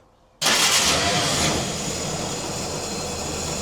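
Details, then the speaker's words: 1950 Willys M38 at its first start in 15 years, with starting fluid sprayed in while the fuel pump is still unprimed. After silence it catches abruptly and runs rough and hissy; fuel was then seen bubbling into the pump. Brief firing on starting fluid. "Oh, give it a little more starting fluid. Sounds really smooth when it first starts to fire. I'm liking that."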